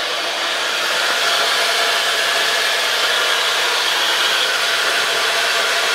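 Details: Mitsubishi Chariot (N43W) with 4G63 turbo, transfer case removed: steady hissing squeal around 3 kHz near the right front wheel and transmission-engine area over drivetrain noise; transfer case ruled out, source still unknown.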